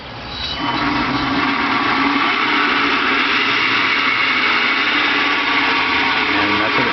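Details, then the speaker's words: Converted electric car with a new Chinook DC-DC converter (faint bubbling hiss): throttle revved, the motor gives a quiet, even whir rising smoothly with no knocking or grinding, a normal spin-up. "that's what it sounds like when the motor spins. It's pretty quiet."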